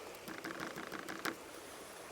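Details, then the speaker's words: Mokwheel Obsidian ST 2.0 e-bike (750 W, Class 2) on dirt and gravel trails: a quiet, irregular clatter of light tinny taps over riding noise from the rattling front and rear fenders, which the rider plans to remove. "But yeah, what I'm going to do is I'm going to be taking the fenders off. These things just rattle."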